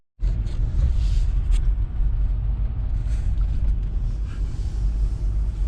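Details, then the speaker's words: 2020 Jeep Gladiator Rubicon, 40k miles, on the road about 1/8 mile from home after fixing a multiple-cylinder misfire traced to dead cylinder 2; smooth, even low rumble, pulling steadily with no stumble, runs healthy. "Well, so far we're about an 1/8 mile from the house and it's fixed, so we'll get back with you."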